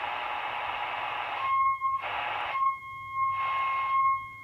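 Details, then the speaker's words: Homemade LC circuit tester hooked to the oscillator (front) section of a radio, tuning condenser tuned down: a clean, steady tone between bursts of static, showing the oscillator coil and capacitor are not open and resonate fine. "so there's the tone now we know we don't have an open capacitor and or an open oscillator coil"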